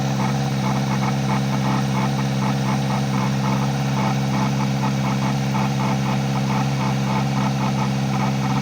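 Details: Kawasaki ZX-4RR at idle: a faint pulsing rasp about once a second, heard from the air intake. Abnormal intake noise, cause not yet found.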